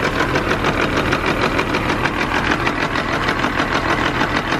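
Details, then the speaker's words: Caterpillar C15 diesel truck, fuel pressure 75-78 psi at idle, running on only two cylinders: slow idle chugs in an uneven, lumpy beat about three pulses a second; misfire, owner suspects trash in the fuel. "Everything's good. It runs on 2 cylinders. It is what it is. I'm thinking some trash got in there."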